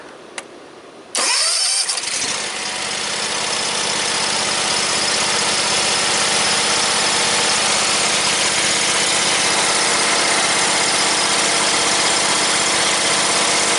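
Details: John Deere X300 rider, no-start traced to the time delay module giving no fuel solenoid action or spark: after the module was reconnected, a quick crank catches within a second and settles into a steady, even idle. Normal start and idle.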